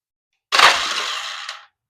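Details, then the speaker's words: Polaris Sportsman 500 ATV with clean full oil and a dead battery, cranked on a jump box: short whirring crank of about a second, only a couple of turns, then it stops; owner suspects a failing Bendix gear drive in the pull-start area. "Well, if that's all it does is turn a couple times, it sounds like to me these have a gear drive, a uh Bendix inside of the pull rope starter area."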